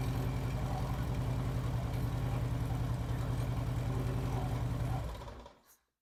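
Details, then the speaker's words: Harley-Davidson Street Glide V-twin idles with an even loping beat, then shuts down cleanly. First start after the Screamin' Eagle compensator install, fixing hot-start issues and strange noises, with the primary case reassembled and the derby cover loosely fitted. Starting, charging and clutch all good; normal idle. "all right I'm tickled everything's in good shape starting good charging good clutch seems to work fine"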